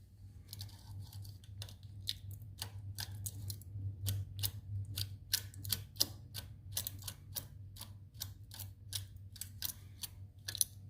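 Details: VW 1835cc engine with cracked deep sump, ran out of oil: sharp regular metallic knocks about twice a second over a low idle, a connecting rod knock.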